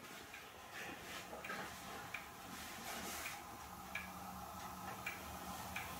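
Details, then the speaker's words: Hermle weight-driven clock movement on a leveled test stand with the pendulum fitted and chains rethreaded: a soft, even tick-tock with steady beats, running properly. "just run let's see what she's gonna do here i hear it ticking"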